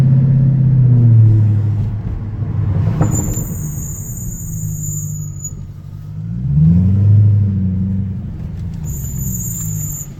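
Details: Mercedes C63 while driving: sharp, very high-pitched brake squeal in short bursts over low engine and road rumble.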